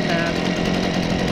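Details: Stihl BG55 handheld leaf blower two-stroke after aftermarket carburetor replacement and idle screw adjustment: steady buzz with even fan whoosh, holding speed without surging or stumbling; normal running.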